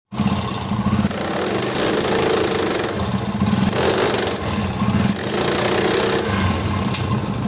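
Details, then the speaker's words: Old Hero Honda Splendor Plus motorcycle: rough, gritty thrashing over the small single-cylinder engine, surging in waves every second or two; rear sprocket teeth worn out, chain skipping, sprocket bearing broken; chain-sprocket set to be replaced. "काफ़ी old bike है और इसकी आवाज़ तो आप लोगों ने सुन लिया होगा किस तरीके से आवाज़ कर रही है। तो इसमें जो प्रॉब्लम है चैन स्पॉकेट की प्रॉब्लम है।"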